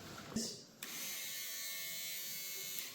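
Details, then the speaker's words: Abandoned, stripped Suzuki motorbike with its starter powered directly: a thin high whir for about two seconds while the engine does not turn. The starter spins freely with nothing to engage, suspected missing teeth or parts. "I don't think there's any teeth on the starter now. That's what that sounds like to me. There's nothing in there for that to turn."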